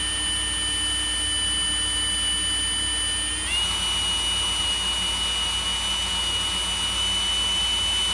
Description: This Fuller Brush Speedy Maid vacuum (also used in various Riccar, Simplicity, CleanMax, and Powr-Flite models) had a brush roll that barely spun due to a large amount of hair packed behind the bearing.